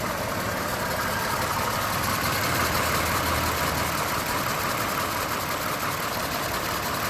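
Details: Toyota 2GR-FE V6 idling: light steady tick of about three per second over the engine; ticking noise, source undetermined.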